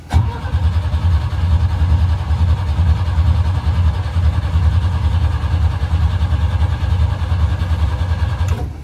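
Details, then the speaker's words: Sailboat inboard gasoline engine, previously flooded, blower run 5+ minutes, full choke, slight throttle: steady even cranking for about eight seconds with no firing or coughing; cranks but won't start, spark/ignition to be checked. "Nothing yet. Okay, so now it's troubleshooting time. The engine turns, doesn't sputter, no coughing."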